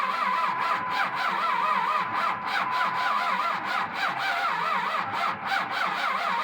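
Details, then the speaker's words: $1200 pickup engine after draining 5 quarts of water from the oil, block probably junk; starter whine swells and dips about three times a second with compression strokes, never catches; extended cranking, no start. "So that means the block is probably junk, but we're still going to crank it over and see if it'll fire anyway."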